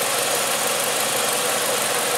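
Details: 2013 Nissan Sentra 2.0 with prior overheating problem, after repair: engine revs cleanly with a smooth, even pull and no rattle or knock; sounds healthy.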